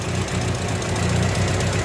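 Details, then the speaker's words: Engine idling after a cooling-system repair, now at normal temperature. Uneven idle with light, fast ticking over a low rumble. The carburetor is still faulty and due for replacement, so idle can't be set; the noise is to be cured by tune-up and valve clearance adjustment. Tappet noise suspected. "Tapos yung tune up, i-tune up na lang para mawala yung ingay. Iba-valve clearance na lang. Valve clearance pala ang tawag."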